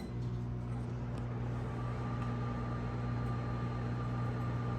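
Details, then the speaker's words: Unbranded microwave model UMV1170LW00 heating a cup of water for one minute, fan venting out the top; steady low hum with faint fan whir, even drone, no buzzing or arcing; running normally. "sounds like a microwave and this one here doesn't vent in front it vents i think it vents up in the air actually no it's coming out the top"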